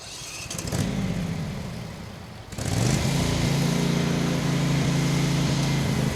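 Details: Craftsman FS 5500 lawn tractor before its carburetor was cleaned: engine speed swells and sags, nearly dies, then catches and hunts around a wavering hum; the owner says dirt in the carburetor causes the surging.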